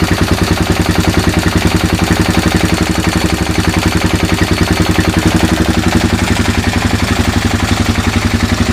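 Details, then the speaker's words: 2000 Kawasaki Lakota single that smokes and burns oil (owner suspects rings), just after an oil and filter change: steady, evenly spaced single-cylinder idle thump with no ticking or knocking; idles nice. "I mean it idles nice no bad sounds"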